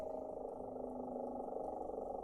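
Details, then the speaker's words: Goodman gas furnace inducer motor drawing 2.5 A against 2.8 A full load rating: steady hum with a rough fluttering purr and no speed change; not over-amping, but technician suspects worn bearings. "So, it's not over amping, but bearings don't sound great."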